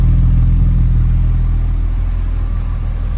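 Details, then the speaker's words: 1994 BMW E36 M3 Euro-spec S50 six-cylinder, 128,000 km, Supersprint muffler, twin-disc clutch, idling after cold start with no dash warning lights: smooth even low rumble, regular firing, no knocks, ticks or misses; normal idle. "no warning lights on the dash sounds super nice"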